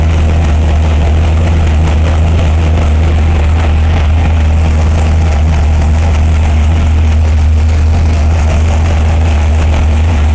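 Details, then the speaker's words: 572 cubic inch Hemi V8 on dyno, about 220 psi compression, warmed on 94 octane: deep steady rumble, even beat, no pops, backfires or flames after mixture sorted; water seen leaking at three head gasket corners, gasket to be changed. "we finally got it to run with the air fuel ratio we got no flames we got no backfires"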